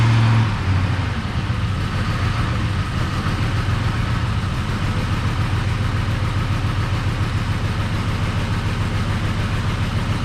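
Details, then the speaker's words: Ford F150 with a $100 Marketplace swapped engine, first run: flat, unchanging low idle; codes show throttle actuator control motor circuit open and forced idle, throttle body likely left unplugged. "all right i got the code reader plugged in throttle actuator control motor circuit open so that must not be plugged in throttle actuator control system forced idle"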